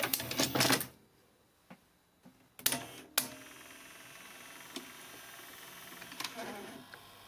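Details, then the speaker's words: Ferguson Videostar 3V36 VHS deck (HR-D225) after capstan motor replacement and a new belt: mechanical clicks and clunks as the tape loads, then a quiet, even run with a faint motor hum. The old capstan motor was noisy; the deck now runs properly. "Yeah, that motor's a lot quieter now. That's running nicely."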